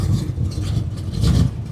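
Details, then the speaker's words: Low idle speed on an old 350 V8 just after starting: a deep, slightly loping rumble settling to a slow idle. It sounds good, but the idle might need raising a little. "Anyhow, the old 350 sounds good. Might need to up the idle on this a little bit."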